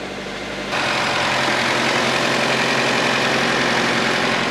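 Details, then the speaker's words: Acura starting right after new AC, alternator and power steering belts, idler pulley and AC compressor were installed: catches and settles to an even idle with no squeal or chirp from the belt drive. "She's running nice."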